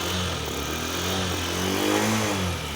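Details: Honda Shine 125 BS6 fuel-injected single-cylinder bike after manual choke cold start (fuel pressure, injector spray, timing and spark plug fine): steady running with gentle rev rise and fall, even firing, no knocks — normal cold warm-up toward 80–90 °C.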